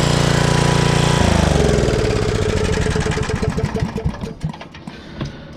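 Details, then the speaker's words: 1995 Briggs & Stratton Gen Power 8 hp generator, long stored, first start on choke after carburetor cleaning, smoking from excess oil: catches with a steady drone, then hunts up and down before settling, surging from the dry freshly cleaned carburetor. "it started surging because we just cleaned the carburetor so it was Plumb dry"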